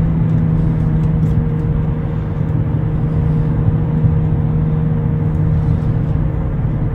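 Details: 2009 Nissan Altima 2.5 CVT, driving at 40–60 mph: loud steady low growl over tyre noise; failing driver-side front wheel bearing, replaced along with CV axle.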